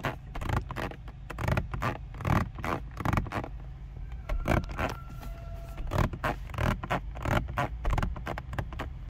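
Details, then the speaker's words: 2023 Renault Austral mild hybrid 160 auto interior: irregular dry creaks and scrapes under pressure. Door side panels creak when a leg rests on them, and light creaks also come from the lower screen; interior trim creak. "Duch Kadżara pozostał. Poza tym lekkie skrzypnięcia dochodzą od tego ekranu na dole."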